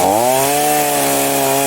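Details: A Lottus YD-KU03-38 Chinese chainsaw runs smoothly after repair, with a clean steady buzz that dips briefly and then holds even pitch. The fault was swapped fuel lines trapping an air bubble so the carb couldn't prime; carb diaphragms were also replaced and the carb cleaned.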